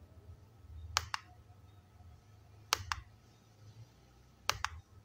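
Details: Godox Mini K-150 studio flash, tested after repair for an error, no-firing and power-drop fault, fired by trigger: three sharp double clicks about two seconds apart, one clean pop each. The flash now fires normally.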